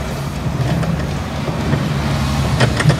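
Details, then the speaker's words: LG WF-T7070CP top-load washer running with water before repair: uneven, loose clanks over a low drum rumble, traced to the clutch assembly, which has to be removed by disassembly. "Reklamo siya eh. Ayan, ito, ito. Kung napapansin natin yung ingay, ayan o, kumakalampak."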